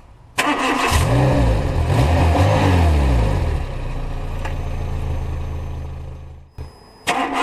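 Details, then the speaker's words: After an exhaust repair following a failed pollution inspection: the engine cranks, catches, revs cleanly and settles to an even idle with no tapping on the heat shield and no exhaust leak or noise; normal. "nous pouvons voir après plusieurs mises en manche du véhicule on n'a pas de ça ne tape pas sur le bouclier thermique donc on peut dire qu'on est bien et on a pas de fuite"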